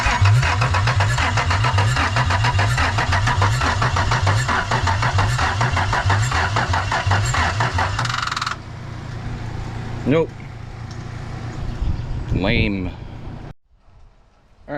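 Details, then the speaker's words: 1996 Toyota 4Runner bought not running; starter churns steadily about 3.5 beats a second for eight seconds without catching, loose battery terminals left no power at the fuse box, crank no start. "my terminals aren't tight, so I wasn't getting power at the fuse box, so we should be good now, but I gotta get this jump box to work."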